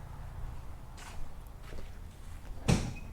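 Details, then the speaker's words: 1973 Chevy Nova 350 SS hatchback on axle stands, rear bounced by hand, engine off, reproducing customer's banging over bumps; two dull clunks then sharp bang, points to loose lower rear shock mount. "this is what the guy's saying you know like he's slowing down bit of a bump and it'll bang okay I'm sure you can hear that"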